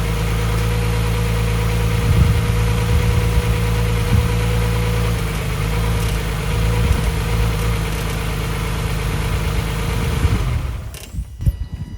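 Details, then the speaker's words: Nissan 350Z VQ35DE first startup after valve stem seal and timing chain replacement; smooth even idle about ten seconds with faint steady squeal (suspected loose belt), then shut off; normal idle. "she is alive woo"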